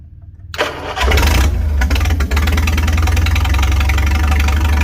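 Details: 1955 Farmall 300 row crop with a straight pipe, run after sitting 14 years, after the governor/throttle shaft was refitted to cure a high rev; it cranks, catches and settles into a steady, even low idle thump, no misses or knocks.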